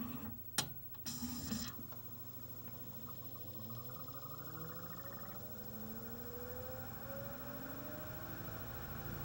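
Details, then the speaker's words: CLD-M301 laserdisc player with built-in 5-disc changer, pressing play: a couple of sharp clicks, then a soft rising whirr as the disc comes up to speed and settles into a faint steady tracking hum; normal, picture appears. "[disc is now at speed, laser tracking sounds] We now have a picture."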